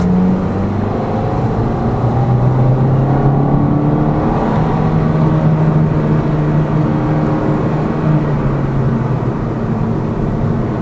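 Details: Lada Vesta Cross with AMT 2.0 robotized gearbox, fully loaded, driving to Chelyabinsk on partly bad roads, rail crossings and bridge joints, head-mounted action camera: smooth engine drone and tire roar, no clunks after shock absorber struts, stabilizer and engine mount were replaced; suspension knock gone.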